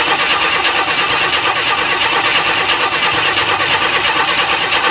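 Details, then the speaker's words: 1994 Chevrolet Astro van after an engine replacement, with spark checked on cylinder one. Steady fast cranking with an even churning rhythm that never catches or fires; crank-no-start from no fuel pressure. "okay so why don't I have fuel pressure"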